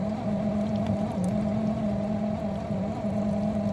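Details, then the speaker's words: Miele G6625 dishwasher bought April 2018 (about 7.5 years old), filled with water: loud grinding from the circulation pump motor at the bottom of the unit, a steady hum with a gritty drone. Filter, spray arms and non-return valve checked clear; drains and fills fine. Owner suspects debris in pump or worn motor bearings. "It definitely does sound like it's coming from the bottom. bottom of the unit where the motor is."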